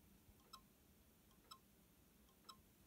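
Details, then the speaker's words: iMac G3 during a hard drive swap, booting through Disk Utility to a failed boot screen: faint, sharp clicks about once a second over near silence, the drive never spinning up. Owner suspects a dead hard drive, not yet confirmed. "yeah and this is what you do not want to see guys exactly yeah this is a failed boot screen and it makes this clicking which just very frightening"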